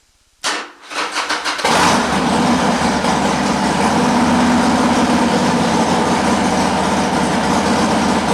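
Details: Harley-Davidson Sportster with the battery at 12.99 V, multimeter on the battery: a brief crank, then it catches and settles into a steady, loping V-twin idle with no knocks. Healthy start; the charging system checks good.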